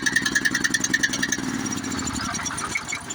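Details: Honda GX390 that would not start (no spark from a faulty low-oil sensor), after disconnecting the sensor wire with the oil full: quick, even popping beat settling into a steady idle, firing cleanly without misses; fixed.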